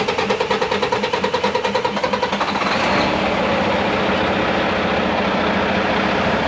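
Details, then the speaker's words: Mack MP8 / Volvo D13 truck diesel, recorded from outside, long-cranks after sitting or a fuel stop, injector cups already replaced: steady starter chug about three turns a second for nearly three seconds before catching; long crank from failing injectors. "Okay guys, so I got it this time. If you was listening, you hear this long something is going on. Something is not right."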